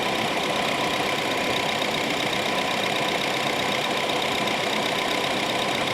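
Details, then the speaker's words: Honda City electric radiator fans after repair of two weak fans that let engine temperature rise; idling while warming: steady even air rush, no squeal, scrape or wobble; fans spinning strong, normal. "นี่นะครับเสียงการทำงานของพัดลมอ่าระบายความร้อนหม้อน้ำที่ปกตินะ"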